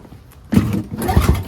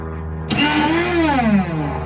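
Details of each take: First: NOMA 4.5 21-inch single-stage two-stroke snowblower in mint condition, engine pulled over by hand while still dry before fueling: a few soft, even thumps, turning freely with no scraping or binding; normal hand cranking. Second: NOMA 4.5 21" single-stage two-stroke snowblower on 50:1 mix, using its electric start. A high electric whine spins up and fades with no engine cranking; the starter spins but the Bendix gear doesn't engage the flywheel teeth.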